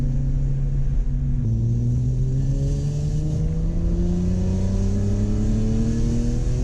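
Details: BMW E46 M3 inline-six after a VANOS rebuild and valve adjustment. A smooth, clean note climbs steadily through the revs with no knocks or rattles, so revving is normal.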